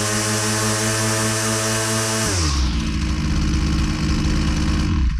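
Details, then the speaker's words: Husqvarna 122C two-stroke string trimmer at full load, string out against the cutter: a screaming high buzz drops into a slightly uneven burble. High-speed mixture set just rich, right on the edge of four-stroking. "it's still a little bit too rich I'm right on the edge between uh four stroking"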